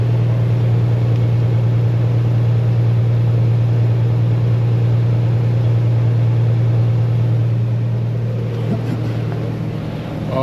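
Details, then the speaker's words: Toyota FJ Cruiser 1GR-FE V6 idling after replacing a failed coil pack that caused P0301 misfire and a flashing check engine light, fuel very low: steady, smooth low hum, no misfire stumble. "she sounds good. She's back. Oh yeah. You know what? Seems like she's back."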